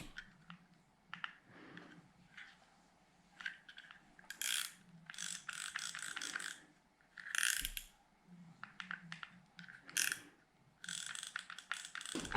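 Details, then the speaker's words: Daiwa 5000C QD reel after swapping the stock drag washers for carbon (ice) washers to cure drag problems: crisp even ratcheting clicks in quick bursts as line is pulled, no grinding or slipping, drag super tight and smooth. "so listen to that sound even the sound is better so super tight"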